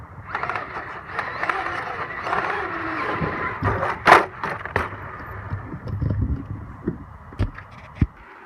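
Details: Traxxas X-Maxx electric RC truck on a run: motor whine with sharp irregular clicks from the rear differential, which has a damaged section of gear teeth; second such failure.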